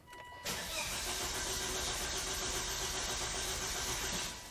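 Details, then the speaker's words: 2005 Volvo V70R auction car: the starter spins steadily but the engine never fires; the fuel gauge dropped from half to empty and relative fuel pressure reads only 1 psi, so the fuel pump is suspected. Fuel starvation. "so this is showing relative fuel pressure at one PSI which is uh how do I say insufficient"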